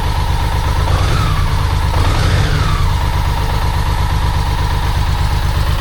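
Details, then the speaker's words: 1995 BMW K75RT after sitting about 8–9 years, before repair: uneven, lumpy idle, revs flaring and sagging, unhappy at low rpm; rough idle from poor injector fuelling. "It sat for 8 years and it'll start up with problem. It'll start, but it's not happy at idle. It doesn't want to be at low RPM."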